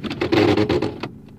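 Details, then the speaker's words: Toyota Camry (possibly Corolla): in reverse with foot off brake the car doesn't move but a spinning noise grows, then short rough grinding bursts as the shifter goes into park. Suspected broken CV shaft, not a bad transmission. "that's why when you put it into gear you hear something spinning as if the car wants to roll but it's not rolling and then when you go to put it back into park it grinds why because it's no different from putting your car in park while you're still moving"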